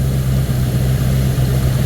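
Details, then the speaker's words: 1979 Ford Thunderbird after fuel system rebuild (new fuel pump, filter, rubber lines, sending unit), running on its own: steady, even low idle with smooth firing rhythm, no knocks, misses or hunting; healthy. Only residual spilled oil burning off. "it's going uphill from here baby huh she smells healthy she smells healthy yeah she sounds healthy she smells healthy she is healthy"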